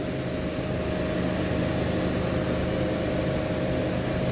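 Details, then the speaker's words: Walk-in cooler not cooling, thermostat jumped to energize the solenoid: steady hiss and rushing flow over a low hum as refrigerant passes the metering device and distributor normally; faulty thermostat found. "now you can hear the solenoid energize you can hear the refrigerant going through our metering device through our distributor"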